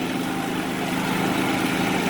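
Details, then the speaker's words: Predator 3500 generator with 131 hours, after an idle jet cleaning and idle adjustment for surging. Load builds as an evaporative cooler pump, then high fan and pump, come on. Steady drone growing heavier, no hunting: normal load pickup. "then we have uh one of the shop evaporative coolers so we'll go on uh pump first no real big load change there and then we'll go to high fan and pump so"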